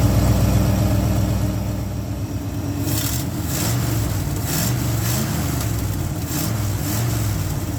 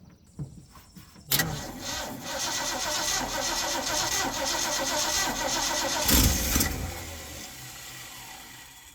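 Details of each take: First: Old Ford F100 V8, ignition module fine, vacuum gauge on ported vacuum: deep steady idle burble, even firing with no misses or knocks; normal idle. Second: Old Ford F100 that sat long, mice-chewed dash wiring suspected, first crank attempt: cranks about a second, catches and runs with uneven wavering beat and surge; ignition fault.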